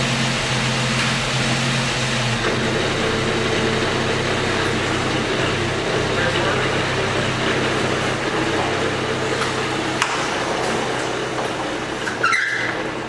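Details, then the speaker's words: 1972 Jeep Commando revived after sitting since 2012, with the original fuel pump and a stuck carburetor needle and seat freed: an even, quiet engine rumble holding a steady idle without hunting or knocking before its first drive. It runs smooth. "this thing runs so smooth it's so quiet and we're off"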